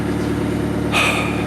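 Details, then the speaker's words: Engine running after a missing ignition coil fuse under the dash was replaced, temperature good: steady, even idle with a low, regular beat, a short hiss midway, and an apparent misfire sound only because the exhaust is disconnected. "bleeding sounds like it has a misfire but that's because the exhaust is not connected down there"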